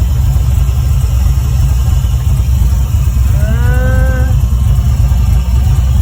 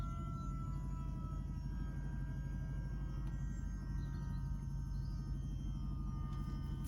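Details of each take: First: LQ9 V8-swapped 1973 Firebird with a 6-speed manual, with the choke found stuck open: deep, steady idle with an even low burble, no stumbles or knocks, judged quite nice, though it later stalls. A fuel leak and bubbling coolant were also noted. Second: LQ9 V8-swapped 1973 Firebird with a 6-speed manual, restarted after cooling system and earth work, warming as the thermostat opens: steady, even hum at a fast idle well above normal. Owner suspects the choke.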